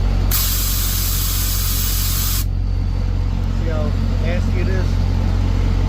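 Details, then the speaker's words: Semi truck that couldn't build air, idling after an air dryer cartridge replacement (compressor suspected worn), gives a two-second hissing blast from the opened tank drain spitting water; the dryer purged, but the air tanks are full of moisture. "Alright guys, we verified it did purge, but as you can tell, this tanks are full of water, which is not good. Not good."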